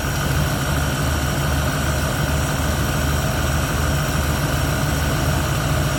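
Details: 1971 Ford Torino, rebuilt 302 V8 with C4, after idle mixture screws adjusted evenly on carburetor (was a little lean): deep, even burble with smooth steady beat, no misses or stumbles; idling cleanly.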